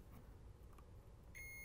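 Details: PR-7820 DiscoVision laserdisc player that won't lock focus, capacitors being ESR-tested: faint room hum, then steady high-pitched meter beep; this capacitor reads good.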